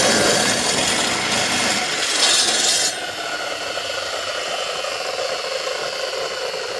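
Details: DeWalt DW871 14-inch cutoff saw, about 20 years old, previously bogging down and smoking, trial-run while being set up for miter cuts: a bright, even whine settling into a steady hum, no grinding or rumble. Bearings sound good.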